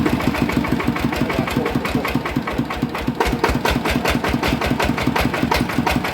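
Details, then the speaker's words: Yanmar 160 diesel engine at idle: hard, even metallic knock on every stroke over the chug; worn crankshaft bearing found dead and spinning loose in its housing, needing housing build-up or new bearing. "น่าจะเป็นลูกปืนแน่นอนนะครับครับผมอ่ะนะครับก็รั่วมาแล้วนะครับสำหรับเครื่อง160นะครับปืนมันตาย"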